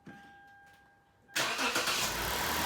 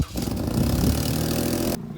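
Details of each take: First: Lexus IS250 after replacing the catalytic converters and exhaust, which had a big leak and an oxygen sensor code; quick crank into a steady, even idle with no exhaust leaks found; normal start and idle. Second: Lexus IS250 at start-up: loud raspy roar dropping to quieter idle, exhaust noticeably louder at the front; leaking, rusted exhaust, fixed by replacing catalytic converters and exhaust system.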